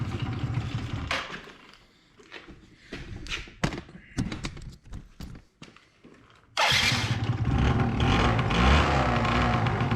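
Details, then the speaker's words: 2005 Yamaha Zuma YW50 two-stroke scooter, just revived, smoky rough idle: revving produces a loose buzzing rattle from the unbolted fuel tank. "I haven't bolted down the gas tank that's what that sound is when I rev it"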